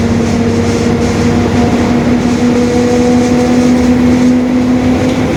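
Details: 2021 Marcopolo Torino S stretched bus on a Mercedes-Benz OF-1721 BlueTec 5 chassis, cruising; a steady tone sits above the engine and road noise. The differential is growling (differential whine).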